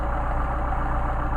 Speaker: And from here, it sounds like it works really well